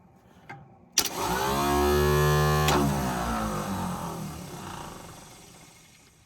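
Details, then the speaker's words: 1957 Lincoln Premiere, starter solenoid jumped directly across its top two posts: sharp click, then a rising free-spinning electric whir with no compression rhythm. Starter spins but does not turn the engine. "uh starter spins it sounds like but she don't crank"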